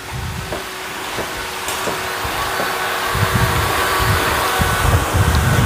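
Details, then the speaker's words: Honda GL Pro after replacing the stretched, slack cam chain that caused rough noise at idle and high revs; single-cylinder idle with quick even beat and airy intake hiss (air filter off), no chain rattle, now very smooth. "masih ada bunyi atau enggak ya atau halus kita cek di sini kita dengarkan suaranya Mas Bro nggak ada filternya jadi agak kasar kita lihat di sebelah kiri sangat halus sekali mas"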